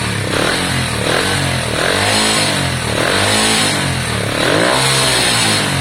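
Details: Lexmoto Valiant 125 converted from EFI to carburettor, original main jet and air filter on, air-fuel screw being adjusted; small single revs up and drops back slowly, revs hang between blips; fuelling close but not quite right, owner distrusts the carb.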